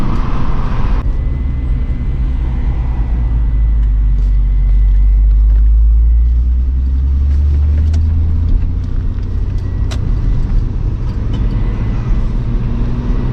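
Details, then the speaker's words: MK3 VW VR6 turbo wagon with a factory VR6 clutch that can't hold the power; cold engine, deep drone under load then revs surge and flare as boost nears 12 psi, clutch slipping (2nd/3rd hold to ~3500 rpm, 4th none). "there goes the clutch if you drive it at like barely tapping boost it'll hold but the second it starts making like close to 12 pounds game over"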